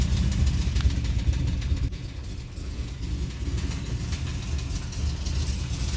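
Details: LS1 Z28 V8 with Comp cams and SLP parts, idling: deep heavy knock thumping a couple of hits per second from a spun rod bearing.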